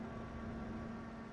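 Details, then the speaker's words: Desktop PC; steady, even whir with a faint fixed hum, fans running at a hefty speed and noisy, Q-Fan tuning considered to slow them. PC fans running loud at high speed. "Those fans seem to be running at quite a hefty speed. Should we do the Q fan training just to see if that will drop it down a bit?"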